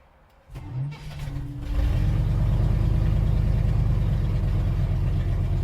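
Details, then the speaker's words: Engine after idle control loop rate tuning: catches, revs briefly, then idle drops quickly to a steady low idle instead of hanging at 1300 rpm as before; much improved, normal idle return. "see how fast that IC is coming down now and how it didn't hang at 1300 like it did before that's a lot better that's a whole lot better"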